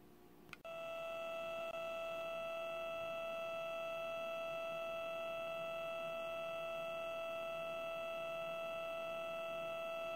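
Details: Steady, reedy buzz from the speaker of an FrSky Taranis radio transmitter, caused by RF interference when a module is installed in the rear JR port. Ferrite cylinders on the cables largely remove it; this is the before-fix buzz.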